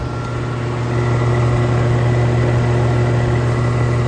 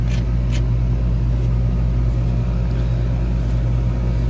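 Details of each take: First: Outdoor AC condenser with a Copeland scroll compressor and ProTech fan motor, built June 2016, at spring startup around 60°F: steady low hum with a fast, uneven rattle about four per second, as it always does, while cooling slowly. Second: R-410A outdoor AC condenser built January 2017, about six years old, at spring startup, recorded looking down on the fan: steady low hum, constant electrical drone and even fan rumble, no knocks; running normally and cooling.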